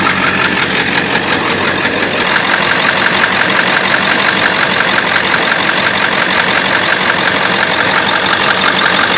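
Steady idle carrying a light, fairly even tapping around three per second over a bright hiss; a top-end or injector tick, cause unconfirmed.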